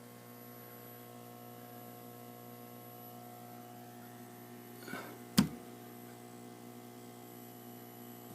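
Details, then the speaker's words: Atari Asteroids arcade machine just switched on after reconnecting the monitor: steady low mains hum with one sharp click midway, never changing. Audio hum remains, cause not yet traced; the owner can live with it for now. "Now you can hear a pretty good hum from the Asteroids machine."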